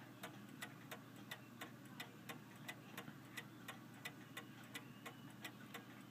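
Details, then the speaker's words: F. Kroeber 1874 cast iron clock, 25 lb, just cleaned after years unused, ran all day then stopped about 5am: crisp ticks about 87 a minute, drifting spacing, unequal tick and tock, seems to speed up and slow down; uneven beat, cause unconfirmed. "I'm not too entirely sure about the beat on this clock. It sounds like it's not quite right, but it ran yesterday for a long time and it stopped at 5 a.m."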